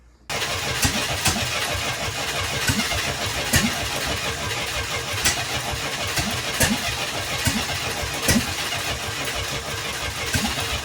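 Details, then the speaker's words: International Scout 800A after years parked in a barn, plugs cleaned, has fuel and spark: steady cranking with sharp compression beats for ten seconds, never catching; cranks but won't start, owner checking valves, cause unconfirmed. "it's got fuel and it's got spark it ain't firing up"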